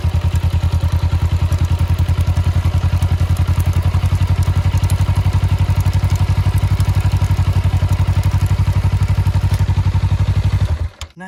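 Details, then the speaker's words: EK SRX X-ring chain on a CBR250RR, still fairly clean but completely dry with no lubricant left: steady low rhythmic thrum about four beats a second as the wheel spins, faint light rattles; quiet, mild dry chain noise. "bisa kalian dengar sendiri untuk tadi dia memang ada suara tapi menurut saya untuk Suaranya sangat pelan tidak terlalu keras"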